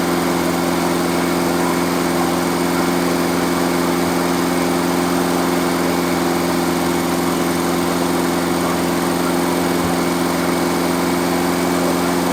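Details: Freshly rebuilt engine during break-in, after reconnecting the vacuum advance line and fixing a backwards-connected fuel pump: runs steady with an even buzzing beat around three pulses a second, constant pitch, no knocks or misses.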